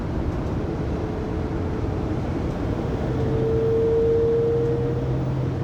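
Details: 2020 Pleasure Way Plateau FL (2019 Sprinter 3500XD) recorded in-cabin by phone at 80-90 km/h: mid-pitched drivetrain whine swelling over road rumble, whole van resonating, persisting after drive shaft and differential replacement; cause undetermined.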